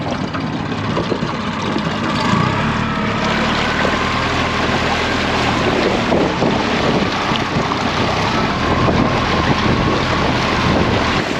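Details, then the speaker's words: New Yamaha four-stroke outboard on a dinghy, replacing a two-stroke: under heavy wind it pulls a smooth, steady drone as throttle comes up a little, strong low-down torque, no stumble or knock; normal acceleration. "you can feel just even in that little bit that torque that you get from down low from these Yamaha Motors um whereas with the two-stroke we had all our power more in the top end"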